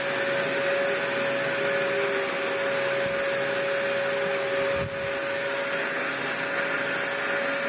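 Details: Steady high-pitched motor whine and constant airflow rush, no grinding or rattling, from a 1998 Dyson DC01 (about 25 years old) after new parts and refitting the original base plate inner; running normally, pivoting smoothly.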